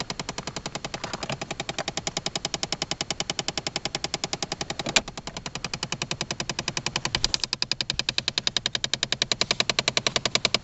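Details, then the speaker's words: 2011 Chevy Impala: fast, even ratchet-like clicking, several per second, from behind the dash near the console and HVAC ductwork, inside the cabin, not the engine bay; occurs at random, even with the car off. "whatever that sound is it's inside the the cabin of the car it's not outside here in the engine compartment"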